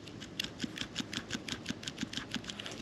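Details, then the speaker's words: Jaguar XF/XK old worn transmission mount removed and shaken by hand: rapid light clicking about five knocks a second from internal play; in the car it clunked on paddle-shift downshifts. Cause suspected, not confirmed. "some clunking noise coming out of the transmission um I thought it was normal for this car um and it only it only happens when I use the pedal shifters when I'm downshifting I can hear a clunking noise um and um I'm pretty sure it's this old worn out transmission"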